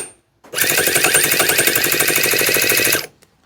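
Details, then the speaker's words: Newly assembled 7cc ST-NF2 four-stroke twin-cylinder nitro model engine, cranking with plugs in: fast, hard metallic rattle about four per second, no start. Too much fuel suspected, seizure feared. Harsh clatter while cranking. "oh that's not sounding very happy at all is it no is it too much fuel"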